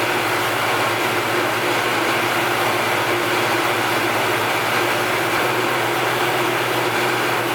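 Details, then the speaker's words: Ford Coyote V8 built from new short block with gen 2 heads, DeatschWerks injectors, swapped into a car, first start: steady, even idle with dense uniform roar, no knocks or misses; healthy. "ah that sounds [ __ ] gnarly"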